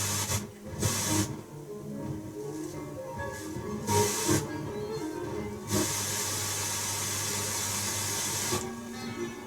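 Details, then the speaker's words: Pioneer tuner with no aerial, hissy interstation noise with scratchy crackles and dropouts as the dial moves; tuning capacitor sprayed with cleaner, crackle seems cleared but the fix is not permanent; crackle from dirty tuning capacitor. "let's give it a bit more cleaner too yeah I reckon I've cleared it but as I said that it's not going to be a permanent here and there are probably better Solutions in other words better products"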